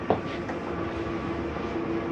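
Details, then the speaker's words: 2020 Coachmen Spirit 2454BH ultralight travel trailer, slide-out extending: a steady, even motor drone with no grinding or straining, ending with a slight mechanism noise once fully out. The slide-out operates normally. "once that's all the way out you will hear that noise just just a slight mechanism saying hey I'm out all the way"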